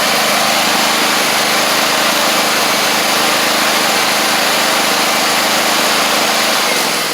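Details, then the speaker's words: Gravely 260Z Kohler engine, well-used and slightly smoking, after DSAI module removal and ignition coil swap: steady, slightly rough drone with raspy exhaust at even speed while running and driving; not perfect but running acceptably. "Well, it ain't perfect, but it's running, driving, and that's a good thing."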